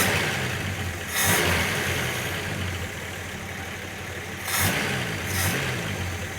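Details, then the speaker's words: First start after head gasket, reconditioned head, water pump and hoses replaced: engine catches, two sharp throttle blips over steady, slightly uneven idle, no knocking or grinding; runs acceptably. "yeah it's all right it's running yeah it's running nothing sounds terrible"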